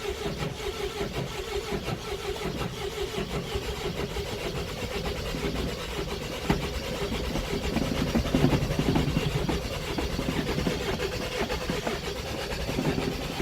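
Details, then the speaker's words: 2001 Mercedes Sprinter W903 diesel, long unused, cold start, glow light staying on: uneven cranking chug briefly swelling as if firing, then falling away; hard start, catches then stalls. "Tantalisingly close. Come on, you bastard. Ah, balls."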